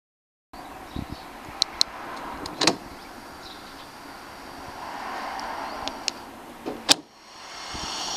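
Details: Mercedes W210 (S210) wagon pneumatic central locking during unlock: steady airy hiss with a few sharp lock clicks; vacuum leak at the tailgate.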